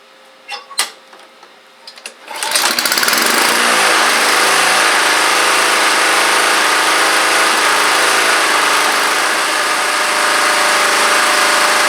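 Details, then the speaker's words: Neglected Honda Harmony II push mower (HRS216/HRR216), started on choke, then the throttle was pulled slightly into the rabbit zone. It settles into a smooth, even mid-speed buzz with some smoke. Running is normal. "So really you want to start it up on choke if it's not already warm, and then kind of just you know, pull it down just a little bit into rabbit zone, and you'll find kind of a happy medium there."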